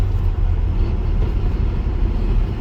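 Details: 1998 Nissan Frontier 5-speed manual driving in 4th gear: steady low rumble with no gear whine. The transmission is noisy under load in the other gears but quiet in fourth.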